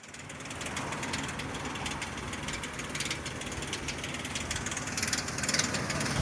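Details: 2003 Ford Explorer 4.0 SOHC, about 380,000 km, hot idle: light, fairly regular ticking clatter about twice a second over engine hum, gone around 1000 rpm and back near 1500 rpm; ticking when hot, cause unidentified.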